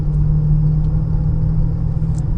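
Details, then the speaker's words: 2015 Honda Pilot driving on a 102°F day: steady low hum under road rumble rising with speed, louder when steering left; worn front driver-side wheel bearing suspected, other mechanics suggested VTM transfer case. "So on a bearing, anytime you pull to either side, increasing noise level, okay, that would likely the bearing."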